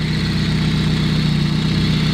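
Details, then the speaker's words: Audi B5 with hood-exit turbo, around 250 hp at the wheels, idling: even low throb with constant rough mechanical rubbing hum; owner suspects something rubbing on the belts or manifold, unconfirmed. "a little dry not too bad interesting sort of noises in here like a mechanical rubbing noise you can probably hear on the video"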